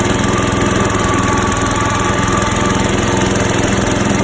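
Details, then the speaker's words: Rebuilt engine with new muffler and Lucas oil treatment added: steady idle drone with light regular tapping about three a second; mild knock remaining, quieter than at the first start after rebuild. "I got a new muffler on here, and this engine's still got a little bit of a knocking noise, but it seems to have tamed down a little bit since the initial start after rebuilding."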